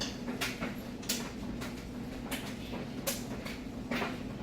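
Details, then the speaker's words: Maytag Bravos super-capacity top-load washer in its wash cycle; even agitator swish roughly once a second over a low steady motor hum; it sounds good, a normal wash cycle. "So here in just a sec, I'm going to move on to the dryer, but it's got a real good sound to it."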